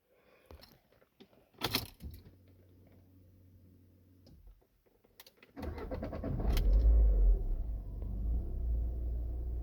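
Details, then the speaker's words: Lada Vesta 1.6 after repair of shaking and misfire on cylinders 1 and 2, cause turned out minor: keys rattle, engine cranks, catches quickly, settles to smooth even run with clean throttle pickup; normal start and revving. "Chotki gaz ko'tarishlari. Akalar, mashinamiz muammosi arzimagan narsadan chiqdi."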